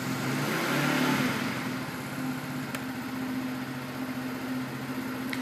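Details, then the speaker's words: Brand-new 2012 49cc scooter with two miles on it, full tank. Starts right away, then blips up quickly and drops back to an even smooth idle with no rattles or misses. Healthy revving. "you can sound how that sounds nice and smooth starts up right away I'm gonna give that a rev so you can hear the engine"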